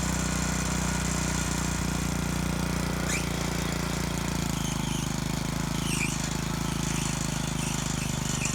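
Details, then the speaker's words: Moto-Mower tiller repowered with a trash-picked Honda GC160 5 HP OHC engine, still a bit cool, tilling soil: steady chug with brief high chirps as the loose drive belt slips when hitting hard things. "so for this machine it's still a little bit cool but you'll hear a chirp and that's the belt and it slips a little bit when it hits uh hard things and stuff"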